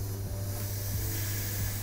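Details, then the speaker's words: Steady gas hiss over a low hum as excess CO2 pressure bleeds from the headspace of an over-pressurised keg. The gas bottle is off and the disconnect has been removed and the gas post backed off with a spanner. "there you go you can leave it like that and if you're worried about extra high pressure just don't touch it when it's like this and it will just bleed out the pressure in the headspace of the keg"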